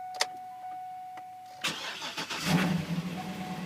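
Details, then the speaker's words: Vehicle started at an auction lot, possibly a Ford Edge or Escape: after brief crank it settles into an uneven, lumpy idle with ragged surges; running rough, cause unknown. "wow this thing sounds like a bag of [Music] holy what the wow somebody was pissed doesn't run all that great I can tell you that"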